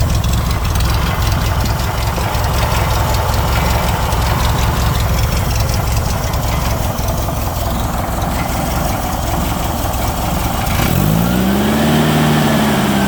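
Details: 1969 Baja Bug at idle: a loose, chattering rattle, steady throughout over the low engine beat; source unknown.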